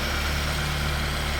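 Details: Mitsubishi E-Car engine hot, after valve adjustment, injector work and system checks for idle problems: smooth, even low idle around 900 rpm with a steady hum, no stumbles or misses; running healthy.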